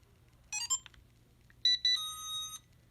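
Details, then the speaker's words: RKA GD91MAX drone powering up after controller is switched on, already calibrated: short bright electronic chirps then a rising series of high beeps settling into a steady tone; normal startup. "And you can hear it come to life. Now there's a few other things you have to do if we just started it up for the first time, but we've already calibrated it."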